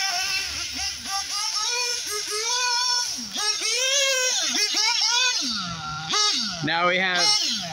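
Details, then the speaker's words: SH PT21 .21 nitro engine with a 2035 pipe in a Hyper 7 RC car, warming up in a wet grass field: high buzzy scream climbing and dropping smoothly with throttle blips after the high-speed needle was richened; no lean bog, good smoke trail, running cleanly. "we're always looking for a nice smoke Trail which we certainly are getting our engine sounds pretty good we're going to listen for that lean balls right for right now she's she's looking happy"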